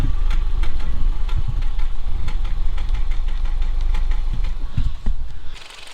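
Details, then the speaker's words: Audi A2 1.6 FSI after cambelt work: a rough idle with uneven pops at the back and the engine rocking, from a cylinder 2 misfire. The code returned despite new spark plugs and coil packs; an injector fault is suspected. "And you can hear it popping a little at the back, which kind of tells you that there is a little bit of a misfire."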